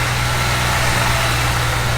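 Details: Gilbern Invader Mk3 barn find, idling after first revival with oil pressure gauges good and a few revs given: low, even idle hum with no knocks, misses or ticks; engine runs smooth, normal idle.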